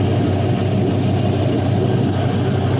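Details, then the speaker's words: 5.3L LM7 Gen 3 LS Vortec from a 2001 Silverado, 151k miles, iron block, 862 heads, LS1 cam, drive-by-wire, speed density tune, on a test stand. Smooth, steady warm idle with no knocks or ticks; quiet, no leaks, healthy. "Everything's nice and quiet. Nothing's leaking. Everything's nice and dry."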